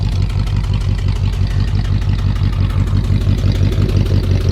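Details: Abandoned 1959 Dodge Coronet V8 with push-button automatic at idle: rough rumble with a steady tut-tut pulse about three a second; one bank suspected misfiring despite new plugs, wires, cap, rotor and points; not confirmed.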